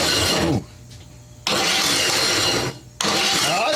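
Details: Cub Cadet LTX 1040 with Kohler Courage 19hp, mice may have chewed a wire. Two rough, harsh cranking bursts separated by silence, no catch: engine turns over badly and won't start.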